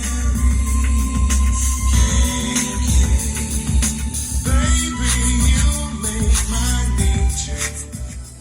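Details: Sony HCD-GTR66 home stereo after integrated circuit replacement, music with heavy bass plays cleanly without the earlier crackle at low volume; repaired.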